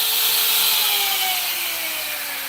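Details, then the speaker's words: Grinder running after its bearing, which had been failing for a couple of months and making a racket, was replaced the day before: smooth, even whir with a slowly falling tone, no rattle or grinding. Now much quieter and healthy. "But I replaced the bearing in this one yesterday. How much quieter it is now."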